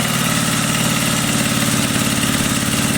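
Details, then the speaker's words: 1980 power tiller with a Briggs and Stratton single-cylinder engine: steady, even idle chugging at about three firing beats a second; runs fine, no carburetor cleaning needed. "okay huh well it sounds like it's running just fine"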